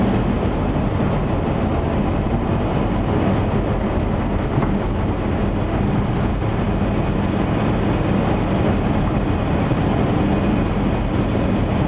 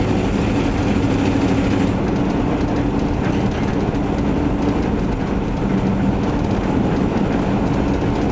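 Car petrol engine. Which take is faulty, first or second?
second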